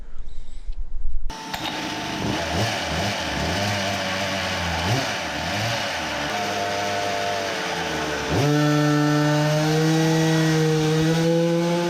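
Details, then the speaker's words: Samurai 40cc two-stroke on dyno with new lower-port cylinder and high-compression head, ignition advance changed at 11000rpm: screams up, dips mid-range, then revs to 13000rpm; owner suspects long exhaust, ignition timing or tight head, possible detonation. "so now it started to rev as i changed the advance earlier at 11000 but still does not look good it dips here and continues to rev"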